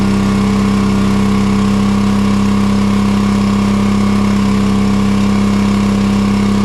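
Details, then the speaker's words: John Deere 425 riding mower, Kawasaki twin, fuel verified good, bogs under load: lopsided, lumpy beat with no power, running on one cylinder. "it bogs down you can hear it if you have a trained ear it just doesn't sound like it has any power"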